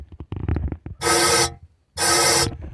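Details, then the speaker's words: Chevrolet Suburban with suspected no-compression issue, leak-down test: two sharp half-second bursts of hissing air escape from the intake while the cylinder is pressurised; suspected bent or carbon-fouled intake valve, not confirmed. "hopefully when we pull this trigger we can hear where it's going that's a good sign see if we can hear it sounds like it's coming out of the intake"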